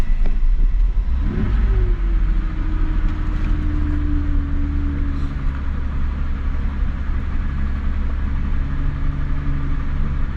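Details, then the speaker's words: Mazda Bravo B4000 ute after idle control valve replacement, engine still cold: high smooth fast idle slowly dropping toward its normal 1,000 rpm, steady low rumble with no misses or knocks; normal cold fast idle. "and cuz the Ute still cold we haven't let it warm up or nothing that's why it's not ID at 1,000 so it's still it's it's coming down there it's almost at 1,000"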